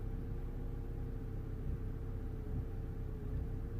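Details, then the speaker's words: 2011 Vauxhall Corsa D 1.4 petrol, first start of the day after a long crank. Code P0223, limp mode, spanner light, cutting out. Revs bounce in a low, uneven, wavering idle: running really badly. Cause not yet found. "so the revs the engine is running really badly"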